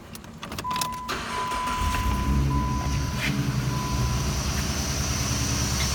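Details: 2006 Jeep Grand Cherokee Laredo after serpentine belt tensioner replacement: engine starts and settles to a steady, even idle with the former loud whine gone; belt drive sounds healthy.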